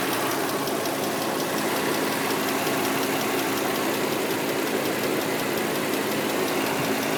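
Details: 2003 Nissan Murano engine ticking that just started: light quick ticking steady over idle with hissy background, a top-end tick; new CVT fluid, fresh power steering and brake fluid, Castrol synthetic oil still good, new filters; cause not pinned down.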